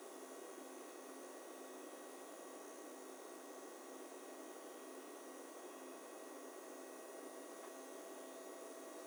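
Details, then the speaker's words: AMD Radeon R9 Fury X graphics card under load: a steady, very loud thin electrical coil whine with several fixed high tones over faint hiss; the retail sample's pump also runs loud at full speed. "the coil line on this card is louder than anything I have ever heard and I have heard some extremely loud cards before"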